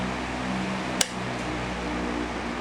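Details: Victor fan with 18-inch blades, repaired after the motor ran but lacked power, capacitor replaced: even low hum with a steady motor note and one brief click; fan spins smoothly, normal operation.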